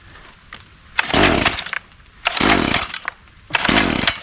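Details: Stihl FS45C line trimmer two-stroke after a replacement aftermarket carburetor was fitted, restarted: it surges up to a harsh scream about every second and a half, then sags back, running unevenly, cause unknown.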